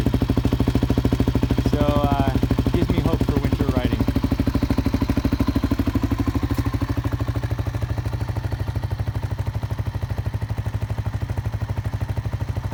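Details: 1986 Kawasaki KLR 250 with 8,776 miles, started cold on the first kick after the carburettor and intake were warmed with a heat gun: even single-cylinder thumping at about three beats a second. Normal idle.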